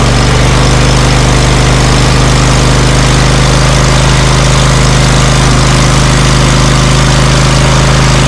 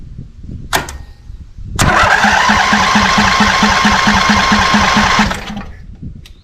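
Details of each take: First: Scag Cheetah mower with Briggs & Stratton Intek V-twin, previously misfiring on one cylinder, after fitting a cheap Amazon replacement carburetor for 791230, choke set, slightly raised throttle; deep even regular beat, no misses or popping; misfire gone. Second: Scag Cheetah with Briggs & Stratton Intek V-twin, misfiring on one cylinder, weak battery: starter churns about three pulses a second for three seconds, engine never catches. Later found a deformed carb bowl O-ring with debris stuck in it; fuel starvation suspected.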